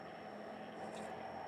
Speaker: Ayo kita boleh lihat atur kecepatannya dari bawah Hai tube 2323 mati oke satu berputar kekanan angin terasa